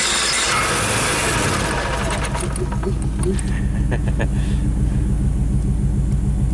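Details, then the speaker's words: Carbureted onboard generator on a 1995 Pace Arrow Coronado motorhome (Chevy chassis), cranked with the throttle worked by hand: steady cranking at about 3.5 beats per second with faint catches. Wet fuel is seen at the fuel filter; it almost starts but never runs. Cause unconfirmed. "There's some, you can see, wet fuel, so cranking it over definitely, I think it wants to start."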